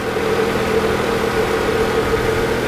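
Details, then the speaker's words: Dirty salvage-auction car with a 2.4 engine, now idling: even, steady idle hum with no miss, knock or hunting; seems to be running all right. "right got a really dirty multi-year 2.4 which now that it's running actually seems to be running all right"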